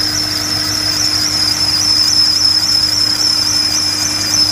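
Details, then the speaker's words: 2001 BMW E39 540i V8 at idle: a constant high-pitched squeal from around the alternator, power steering pump or serpentine belt tensioner pulley; water on the belt silences it for 2–5 minutes. Exact source unconfirmed. "it sounds like it's coming from somewhere right down in that General vcinity uh around the alternator uh around the power steering pump or the uh belt tensioner pulley uh for the main serpentine belt"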